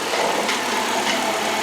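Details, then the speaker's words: Freshly rebuilt engine (machine work plus parts and gasket kit) idling in neutral after the rebuild: a quick, even idle with a bright exhaust note, no knocks, misses or alarming noises, and barely any smoke; normal healthy idle. "oh my God sounds good I don't hear any alarmingly scary sounds"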